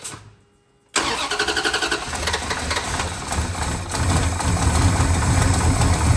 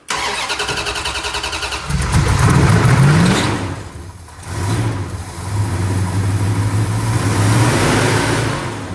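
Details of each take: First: 1970 Dodge Charger, not run since 2008 or driven since 2006, starts easily; quick cranking, then catches into a strong, deep rumble. Engine starting normally. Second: 1970 Dodge Charger, new fuel hose and filter, 2 gallons in tank: rhythmic cranking, brief catch, revs and sags without idling; not picking up fuel to the pump.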